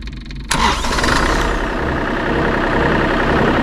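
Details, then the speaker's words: Kubota KX033-4 excavator diesel during its 1000-hour service, started right after a fuel filter change and bleeding: catches immediately after a short crank and settles into a steady, even idle; normal start. "This thing always starts right up after a fuel filter change."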